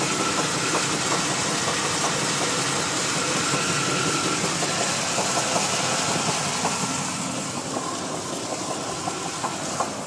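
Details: 1991 Chevy K1500 305 V8 at steady idle: a regular light knock, about two to three per second, over the engine hum, from a worn connecting rod bearing.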